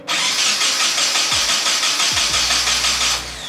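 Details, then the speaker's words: Nissan 240SX first start after 10 months sitting: starter cranks unevenly about three seconds, engine never fires; huge gas leak, fuel line couldn't handle the higher pressure, line to be removed. "there was a like you can see it's really wet there was a huge gas leak here um but this is good this is a good sign because now that there's a lot more pressure in the back that means that this couldn't handle it"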